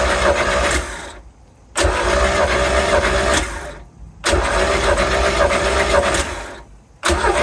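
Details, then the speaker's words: Mercruiser 3L (120 hp) marine engine, ignition coil lead disconnected for a compression test: three even starter-cranking bursts on the cylinder 3 retest. It now reads 95 psi instead of 70, which is good. "three so what's the verdict oh go up to 95 third cylinder is 95 as well instead of 70 okay that's good"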